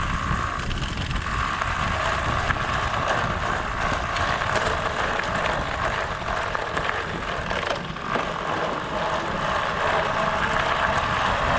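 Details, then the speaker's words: Bicycle riding over gravel with Pletscher Esge kickstand after tape fix: steady crunch and tire rush, no metallic pinging or rattle; kickstand quiet, fix expected to last only a week or two. "We just went through some gravel that would normally have had that thing pinging, and it was quiet, so this works okay"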